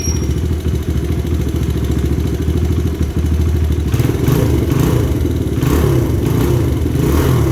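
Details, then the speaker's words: 2000 Honda XR100 rebuilt with a BBR 120 big bore kit, during break-in, cold start with the pipe ice cold: it fires up easily and settles into a quick, even thump, then blips cleanly; healthy start and idle. "So honestly, it started easier than I would have thought cold, which is awesome. It idles great, it runs great, it has tons of power for a 100, I guess a 120."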